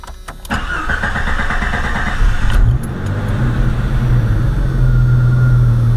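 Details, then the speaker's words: Jeep Cherokee XJ 4.0 after a throttle body adjustment fixing high idle, restarted after running a while: cranks, catches quickly and settles into a steady, even idle with no hunting. Normal start and idle. "so I can do a hot start for you guys so you'll see that it'll work hot or cold it'll still be consistent"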